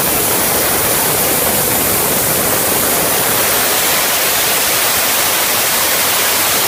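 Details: 6.0 Ford Powerstroke, engine off, shop air applied to the high-pressure oil system with the pump exposed: a loud, constant rushing hiss at the snap-to-connect (STC) fitting, with nothing heard at the 10 mm dummy plugs, which are due to be updated to 12 mm.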